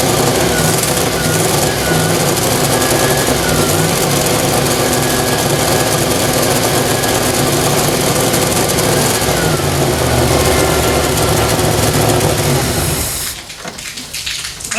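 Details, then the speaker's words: Freshly built AMC 304 V8 in a 1979 AMC AMX at first start for break-in: starter cranks about three beats a second and never catches; no fuel pressure because the tank pickup sucked air in a not-full tank. "i fired the engine twice didn't have fuel pressure because my pickup was sucking air"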